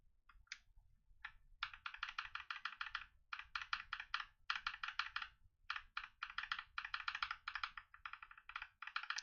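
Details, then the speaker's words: Mechanical keyboard switch after lubing: rapid crisp, even keystrokes with no scratch or spring ping, smoother and more dampened than the rattly unlubed switch. "a lot smoother than before and the sound is a little bit camp and clear the difference you can hear their rattling in this one this one is a lot more dampened"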